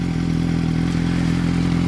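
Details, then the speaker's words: Motorcycle (the RR), strong power but an imperfect tick-over: deep steady thrum that never quite settles, slightly uneven idle. The owner suspects Power Commander wires not fully seated. Rough idle. "the tick over just doesn't seem perfect, and there's little things that annoy me, and I couldn't sell it like that to anyone"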